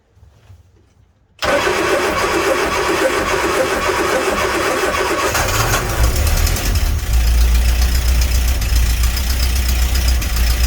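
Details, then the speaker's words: Birchwood 22 river cruiser boat engine after new spark plugs and distributor cap, cap refitted properly: cranks, catches and settles to a steady even idle, warm enough; works well. An exhaust gas leak is suspected at one end. "there you go it works well it's warm enough"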